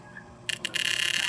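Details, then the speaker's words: Electric fan, one of two non-working fans under repair, run with the blade removed: a harsh high scraping rasp sets in as the head swings back on oscillation; something is catching and rubbing, source not yet found. "Yan o. Pakaingay, iwan ko lang kung naririnig nyo. Tingnan nyo ha. Pagbalik. Pagbalik nyan."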